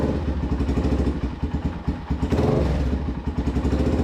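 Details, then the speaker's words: Restored abandoned Polaris Predator 500 single-cylinder quad with an aftermarket CDI box, possibly rev-limited, throttle cable sticking: crisp, even pulsing beat revving up and holding cleanly; normal revving. "good, runs good. Like this is aftermarket CDI box, so it could have a rev limiter safety thing on this, maybe."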